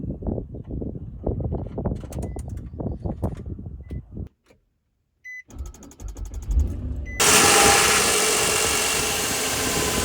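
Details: Sluggish, uneven cranking of about three turns a second, a pause with a chime, then the engine starts; slow start with clicking, suspected battery, alternator, battery cables or starter, cause not confirmed.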